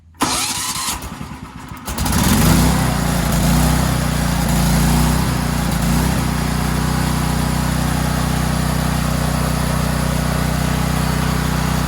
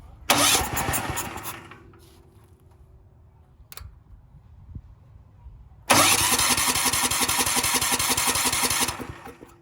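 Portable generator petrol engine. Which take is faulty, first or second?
second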